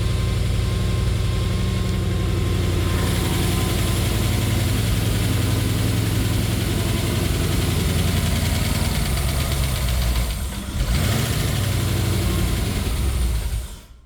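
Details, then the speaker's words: Rover-derived 3.9L V8 in a Mazda MX-5 (Bullet Roadster), first start after oil pump work: rapid, even lifter ticking about 220 per minute over a steady idle. No fresh oil is yet seen reaching the lifters, suggesting oil starvation. "My lifters are sounding extremely noisy. Pretty much all I need to see is oil oozing out and covering the lifters. I can see oil deposits, but I can't see oil or fresh oil coming out."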